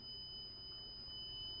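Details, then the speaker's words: Honeywell Lyric security control panel in audible panic mode: a soft, steady high-pitched tone. The siren is quiet and limited, not piercing, because the burglary alarm sounder option is set to no. "So we put it into a panic mode. This is an audible alarm panic. You can hear how quiet that is. That's because we have our burglary alarm sounder set to no."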